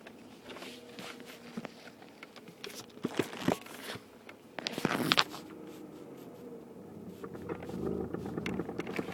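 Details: 2006 BMW E90 sedan, 6-speed manual: quiet, irregular clicks over a faint low hum while the car creeps backward in reverse, noticed with the radio off shortly after purchase.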